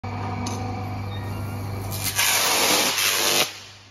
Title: Arcing sound during opening of isolator || Electrical engineering || Powergrid || Power system